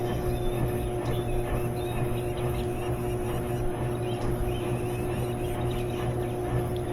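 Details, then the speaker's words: GE top-load washer in service diagnostic mode after drive belt swap and pulley cleaning; lid locks, drain pump runs, tub spins up with a steady even motor hum and mild vibration, a bit more than ideal; spin works normally. "And it starts to spin. I hear it spinning. And I can feel it spinning. Let's see if it gets up to speed."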